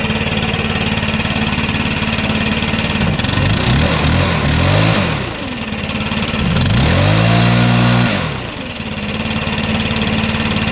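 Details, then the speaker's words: Stihl 4-Mix backpack blower after valve adjustment: starts on one pull, runs steadily, revs up twice and settles cleanly without misses or rattles; healthy running. "alright guys so it usually does not start in one pull like that so that adjustment worked great"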